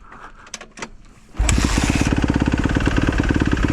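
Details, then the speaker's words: 2015 Kawasaki KX250F that refused to start, tight intake valves a suspected cause: quiet handling noises, then it catches on the first kick and settles into a steady, even single-cylinder idle; normal start and idle. "right guys 2015 feel nice and light idle's down good sounds good too all the cow sound good look through the ears it's actually nice and quiet when you're not reving it"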